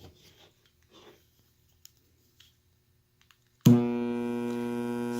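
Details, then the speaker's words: PC speaker system switched on with no input connected: switch-on thump, then a loud steady low mains-hum buzz coming from the subwoofer unit. "you hear that buzzing and this is even though the speakers aren't even connected so this buzzing sound is coming from the woofer subwoofer unit of the speaker system"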